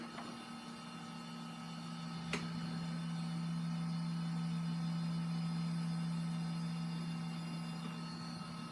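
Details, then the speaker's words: Large SGI computer: the power supply turns on and the DVD drive ejects, but there is no monitor output and no beeps, only a continuous steady fan hum. It powers up but never passes POST; the cause is unknown. "no output to the monitor here so there's no beeps from it it's just the continuous"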